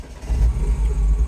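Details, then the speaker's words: 2009 Mini R56 John Cooper Works N14 engine with a weak, recharged battery, no throttle applied: rough idle that surges and sags on its own; VANOS solenoid fault diagnosed with OBDeleven scanner. "You can hear it running rough. I'm not revving it. That's doing it all itself."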